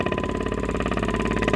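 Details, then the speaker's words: 2002 Dodge Neon heater blower motor: fast even fluttering pulse over a steady motor drone, sounding terrible and louder at higher fan speeds; owner almost sure the blower motor is worn, replaced with a spare. "oh it sounds terrible and it gets louder as you go up"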